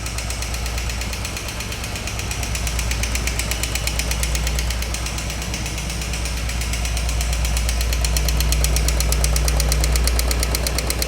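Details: Royal Enfield Thunderbird 350, 10 months old with 4200 km, at idle: a steady knock just under three a second over the deep single-cylinder thump. The service center could not fix it and claimed the engine could not make the sound.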